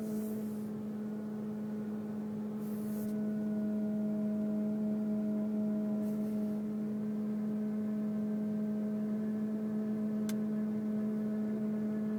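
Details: 2002 Mercury Grand Marquis, 105k+ miles: steady, quiet mid-pitched hum with a faint higher overtone from the engine compartment, recorded driving, parking and restarting. It comes and goes randomly, unrelated to bumps, speed or gear; cause unknown.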